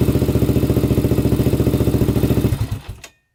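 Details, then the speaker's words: Rebuilt 1999 Honda 400EX single, restarted after cooling about 20 minutes: starts instantly, with a steady, even thump of about three and a half beats a second until switched off, and no smoke. Healthy normal idle. "let's see if it starts right back up yup runs perfect literally starts instantly"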